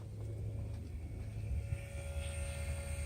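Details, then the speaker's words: Mercedes CL55 central locking pump repaired (solenoid problem); the locks work, but leaks in the close-assist/trunk-assist hydraulics leave a low steady hum droning on with no cutoff, as the pump runs too long. "I do have leaks in my clothes assists so we're gonna just wait until it paused or in but pump runs for too long"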